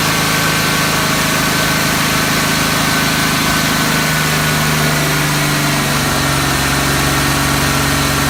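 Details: Uneven, stumbling idle with a lumpy low beat and occasional dropped pulses over a steady hum, a misfire of unknown cause. Disconnecting and reconnecting the MAF sensor makes no difference.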